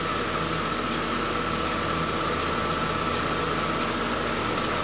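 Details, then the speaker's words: 2011 Buick Regal 2.0 turbo with stored codes and a likely aftermarket mass airflow sensor: steady, even idle with a faint high whine and no knocks or misses; engine runs good, normal idle. "but you hear it you see it I mean it engine runs good runs really"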